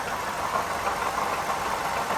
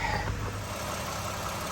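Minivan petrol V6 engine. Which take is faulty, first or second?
first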